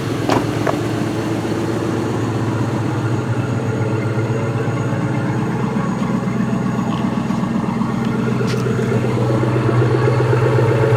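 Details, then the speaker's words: 1998 Ford Mustang GT V8, 131k miles, PI heads, FRPP shorty headers, at cold start: steady idle under a fast, light tapping of about four per second; exhaust ticking, owner suspects a header leak. "I think that's just the header leak. You kind of hear it tapping."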